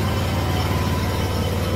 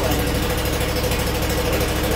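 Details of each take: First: Kawasaki FH580V on a Scag Freedom Z mower, before carburetor replacement. Low, uneven idle thump that never smooths out, even at high idle; choke improves it slightly, so the owner believes a carburetor jet is plugged. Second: Scag Freedom Z mower, Kawasaki FH580V 19 hp engine, after a new carburetor and reconnecting a missed wire, previously rough idle: brief rev then a slow, steady, even idle with a smooth low hum.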